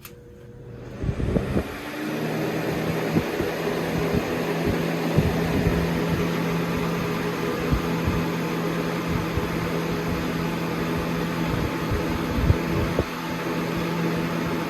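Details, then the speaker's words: Lasko Premium box fan (3723 vs 3720 Weather-Shield comparison) on high speed: steady rush of air with a constant high whistle on top, the whizzing sound owners find annoying, heard more clearly on this model. "And one thing about these fans, this fan has that whizzing sound that everyone hates and it says is annoying. Well, both of them do actually, but this one has it, like, you can hear it more clear."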